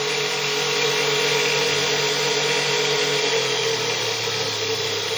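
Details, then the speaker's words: 6-pole ZFM pulse motor, 1.5-inch Neo magnets, 48 V, one firing-circuit leg disabled under load: steady buzzing hum sagging to about 1950 rpm from 4000 and never recovering, voltage jumping near 52 V; motor laboring but still operating. "it's really got about 1950 rpm and the voltage has jumped up with nearly 52 at one point one ends but you can hear it learning still an operating it's looking a bit let's just stop this"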